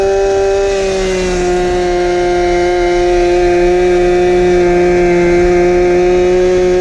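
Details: 1970s ARCO 3533 mini bike, first ride after a budget get-it-running fix including a leaking fuel tank grommet: a loud, shrill, steady unmuffled two-stroke buzz held flat out at about 10,000 rpm for only about 5 mph.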